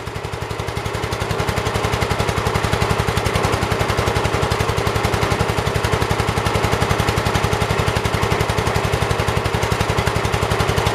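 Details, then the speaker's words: 1978 Kohler K341 single-cylinder, freshly rebuilt, first run after initial smoke cleared: crisp even firing beat, steady and strong, no misses or knocks; normal running. "man it runs really good though i'm gonna be quiet so you guys can listen to it"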